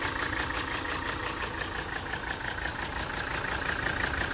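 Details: 1980 Mercedes 300SD turbo diesel, 141K miles, fires right up with no excessive smoke: steady even diesel idle clatter with a light high rattle from a loose part that stops when held; engine sounds very healthy.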